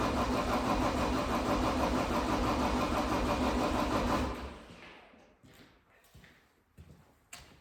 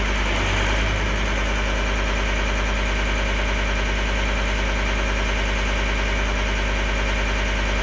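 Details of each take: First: 2012 John Deere 333D skid steer with reman long block diesel, first start attempt: steady cranking about three turns a second for four seconds, no firing; air in the fuel system despite the pre-filled filter, being bled. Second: 2012 John Deere 333D skid steer with reman long block diesel, first runs: steady even idle clatter, no misses or hunting, warming up; the owner suspects moisture in the reconnected sensor connections caused the earlier problem.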